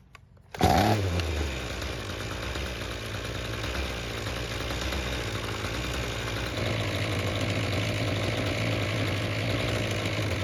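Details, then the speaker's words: Ryobi string trimmer that wouldn't start, after a second ultrasonic carburetor cleaning with no adjustments: starts straight away and settles to a smooth, even buzz with no stumbling or surging. Runs properly. "The carb now seems to be working like it should without having to make any adjustments."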